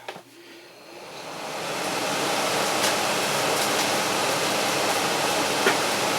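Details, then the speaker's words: Frigidaire air conditioner plugged back in after a simulated power failure, fan running alone before the compressor kicks on about 2–3 minutes later; steady, even air rush building then holding smooth: normal fan. "And I want y'all to hear the fan on this. So stay tuned for about 1.5 minutes."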